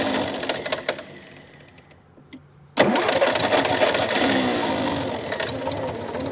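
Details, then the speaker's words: Massey Ferguson MF711 hydrostatic skid loader, sitting 20–25 years, started on choke with two-stroke gas: after a quiet crank it catches sharply and settles to a busy, steady run; it has a small exhaust leak and is possibly burning oil. "yeah little mfer is running first time in 20 to 25 [Music] years"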